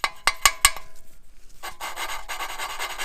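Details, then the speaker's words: Gas generator engine with no compression under repair, valve lapped with grinding compound by suction cup: a few sharp taps then gritty back-and-forth rasp, the valve still cutting into its seat. "hear that as whining the seat its seating the valve is making it the seat one one when you don't hear that anymore aggressive like that you take this and you tap it"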